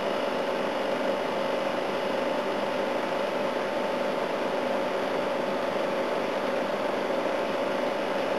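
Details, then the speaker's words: A/C unit on high fan, starting to freeze up, with head pressure: steady even mid-pitched compressor hum over fan rush, no knocks or rattles; running healthy. "Oh, I've stuck it on high fan, starting to freeze up. Yeah, it's working quite well."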